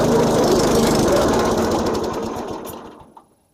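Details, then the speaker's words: Massey Ferguson MF-7 tractor: engine chugs with a rapid, fairly even beat, then loses power and dies within about three seconds; owner says it stalls almost immediately after engaging the mower blades; cause unknown. "all right so you can see like I said you know it runs pretty good until you try to put the uh the mot blades on"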